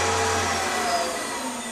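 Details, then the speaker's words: AC induction motor on an inverter/motor controller with slip control. When the pedal drops, the high motor whine cuts to a quieter electrical hiss as about 58 A of regen flows back into AGM batteries, which sizzle. Normal regenerative braking. "you just put a 58 amp regen back into the uh agm's and they're definitely sizzling away merrily with that"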